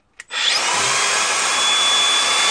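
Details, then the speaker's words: Angle grinder without paddle switch, running freely; clicks on and spins straight to a clean steady high whine, no rattle or grinding; normal running, sounds good. "sounds good doesn't it"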